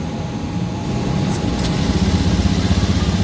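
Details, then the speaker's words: Honda Vario 110 ESP scooter, previously would not start, after CKP sensor reinstalled: small engine running with a quick, even pulse about four beats a second, no stumbling or dying; normal idle. "Nếu tôi là người thực hiện việc này mặc dù xe máy đã xong, nó đã được bật và động cơ đang chạy."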